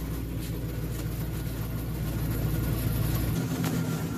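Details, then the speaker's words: 2007 Ford F-350 Super Duty 5.4L with a no-crank/no-start in park; with a signal fed to the PCM making it think it is in park, it cranks, catches and idles evenly with no misses or knocks, proving PCM wire integrity good. "we'll go ahead and crank it over and it starts up because it thinks it's in park"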